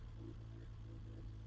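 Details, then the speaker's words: Freshly rebuilt BMW M20 325iS-spec engine first start on bench; quiet low loping idle, slightly high, from 276 cam not misfire, harmonics good, a couple of small leaks, idle still to be lowered. "The harmonics of the motor sound good, right? Which means that this is not a misfire that you're hearing, it's a 276 cam that you're hearing."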